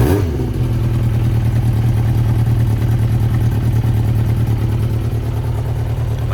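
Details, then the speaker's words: 1992 Yamaha XJ600 Seca II after carb cleaning, synchronizing: lumpy uneven idle with one cylinder pulling weakly; number two carb sounds off, one carb reading 180 versus 420-440 on others; carburettors out of sync. "So, what is wrong with number two? Number two sounds like it's off."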